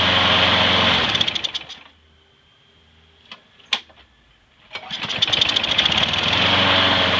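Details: Trash-found mower after freeing a stuck carburetor float needle and topping up low oil: steady high buzz, shuts off, restarts and holds an even healthy speed; slight smoke may clear after running in; runs great.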